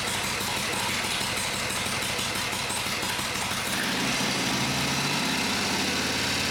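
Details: Vintage Harley Shovelhead after full engine and transmission rebuild, new coil and new Dyna ignition, oil pump primed, after earlier popping and banging on startup; big twin at a loping idle, lumpy but firing on both cylinders, no popping or backfire; running healthy.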